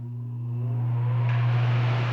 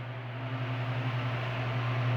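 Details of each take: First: Arno Silence Force 40 cm fan fitted with a universal oscillation gearbox: steady low hum with a whir building as it spins up, no oscillation; the gearbox does not fit this model and causes the noise. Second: Arno Turbo Silêncio fan fitted with a universal oscillation gearbox: smooth low motor hum with soft airy rush, no clicking or grinding from the gearbox as it swings; fan running and oscillating fine.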